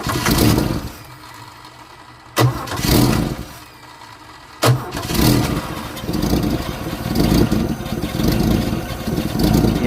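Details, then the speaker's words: 1964 Holden EH ute with no fuel reaching the carburettor float bowl: after the bowl is filled by hand, a couple of short cranking tries fade out, then the engine catches and runs steadily. The fault is in the fuel supply, possibly a tank blockage. "I've confirmed there is no fuel getting into the float bowl. Um, so what I've done is filled up the float bowl. Give it a bit of hot sauce. I filled the float bowl with fuel and let's see if it'll run on that."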